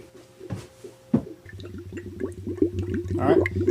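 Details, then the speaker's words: 2004 Honda CRF250X leak-down test: uneven gurgling oil bubbles about three a second as 15% leakage blows past the piston rings into the crankcase, slight leak on the intake, none on the exhaust; the air filter had been fitted incorrectly. "see i can hear oil bubbling right now and i'm at 15 percent off coming through the rings"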